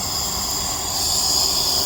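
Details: DAF LF45 bus, engine off after air built up: a steady sharp rush of escaping air when the brakes are applied, all air draining from the braking system from a leak at a component not yet identified.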